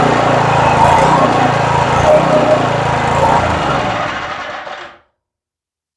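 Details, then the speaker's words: Southland edger after carburetor cleaning and fresh gas (previously wouldn't start after sitting winter): slight harmonic at cold start smoothed out after a minute of warming up; steady even buzz with no stumbling, then shut off; normal running. "she had a little bit of a harmonic when we first started it but after she ran for a minute and warmed up that harmonic smoothed out completely and it sounded really good"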